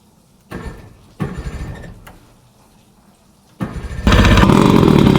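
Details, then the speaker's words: One of a pair of 50-year-old OMC 50 hp two-stroke outboards, started on choke on water muffs after more than five years of storage and new fuel lines and primer bulbs: short cranks, then an instant catch into an even burble. A healthy cold start. "Boy, that lit right off too."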